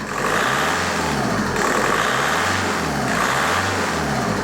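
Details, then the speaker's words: VW Golf Mk4 PD130 diesel after replacing the injector loom and refitting the EGR valve: clean note rising and falling smoothly with throttle blips, no misses or knocks, no vibration; engine running as it should. "there's no vibration it's it's running just like it should run it's a pleasant place to be"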